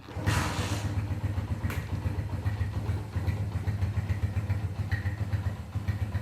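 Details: Honda CB100 K5 single-cylinder after engine and electrical refurbishment, started without throttle: a low, even thump settling into a steady idle with no knocks or rattles; normal idle.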